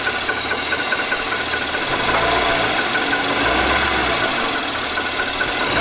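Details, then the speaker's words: 2018 Nissan Armada 5.6 L V8, original engine before short block replacement under TSB; hard, diesel-like tapping about three or four times a second at idle; knock from scuffed cylinder wall. "this is a follow-up video to i did a knock engine knock video where the engine was sounded like a diesel pretty much"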